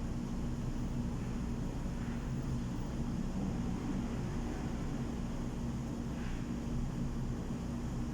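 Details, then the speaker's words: Submersible water pump running with a steady low hum after pressure switch springs were adjusted so the contacts close; no surging or cycling, the water meter turns, running normally. "Ayan na guys nag-contact na guys. Sabihin umandar na yung submersible pump."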